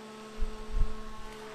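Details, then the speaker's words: A free Lincoln tombstone transformer welder, found sitting for days by a roadside, is first plugged in with a new stinger and its fan kicks on. It gives a steady low hum with a faint even tone above it: normal transformer hum. "so that's just fine I can hear the Transformer humming just a little bit"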